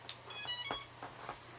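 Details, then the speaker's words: Aquila quad with dead original flight controller, powered up: one chirp and short tone burst, then silence, missing the rest of the startup tune, no lights; Betaflight sees only a bare STM32, board appears dead. "You hear the da-da-da, where's the da-da? You'll see a lack of any lights going on there."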